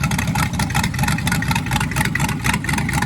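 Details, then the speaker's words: Ford Falcon being restored, after resetting the ignition points that had closed up: an even, steady V8 idle with a regular low lope and no misses; normal idle. "Don't you think it sounds better? We got checking it there with the 12 meter and we open it back up. And one of the points had closed up a little bit because it's fuel point."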